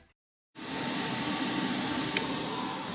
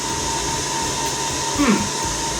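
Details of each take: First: Rack server inside a homemade wooden soundproof cabinet: soft, even fan hiss with a faint constant tone, no rattles or surging; normal fan noise, much quieter than before, muffled. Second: Rack-mount home lab server before soundproof wooden cabinet: constant airy rush with a fixed high-pitched whine; loud cooling fans.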